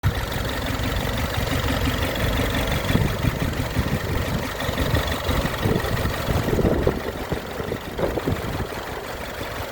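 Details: 2011 Mini Cooper S petrol engine idling rough and uneven with a shaky, stumbling pulse and vibration from a cylinder misfire; ignition coil replacement is the fix.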